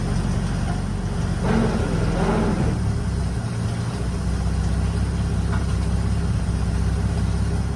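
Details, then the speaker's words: 1952 Dodge Wayfarer (three-on-the-tree) revived after sitting for decades: a steady, even low rumble with no stumble or misfire, "running smooth, like a sewing machine," while the gears are run through. Earlier it died when put in gear. "she's running smooth now. Sounds like a sewing machine."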